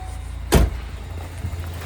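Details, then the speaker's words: 1989 Ford Tempo coupe idling after replacing all spark plug wires and coil wire, alternator not yet replaced: low steady engine hum, nice and consistent, apart from one thump, no longer shuddering as before; normal idle. "I don't know if you can hear this at all, but it's really nice and consistent. It's not shuddering like it was before."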